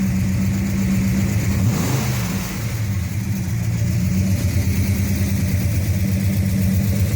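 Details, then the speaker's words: Dad's 1968 Hemi Charger, battery reconnected, started and blipped: deep, even V8 burble climbing smoothly with each throttle blip and settling back cleanly; normal healthy Hemi start and revving. "Well, everybody in the comments, tell Dad thank you for blessing your day with the sound of Hemi."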